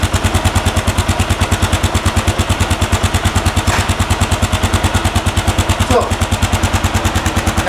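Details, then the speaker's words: 2010 Kawasaki KLR650 at idle, then revved: a steady, even single-cylinder thump at about ten beats a second, with no exhaust chirp. Owner thinks the exhaust may already be modified. Sounds healthy. "you can hear there's uh doesn't seem to be any trip there so we'll rev It Up so I can't see any Tri hear any tripment at all"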